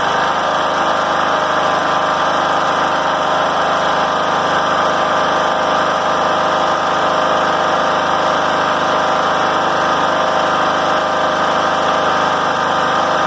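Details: John Deere L100 rider after high idle fix: steady even drone, no knocks, surging or hunting; engine healthy.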